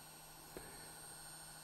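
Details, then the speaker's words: Analog model locomotive (Ludmilla) with no decoder standing on digital track fed square-wave AC with kilohertz-range mixed frequency: quiet steady whirring hum with thin high whine and a soft click, a technically unclean motor noise. "Man hört jetzt ein Surren. Eigentlich ein technisch unsauberes Geräusch."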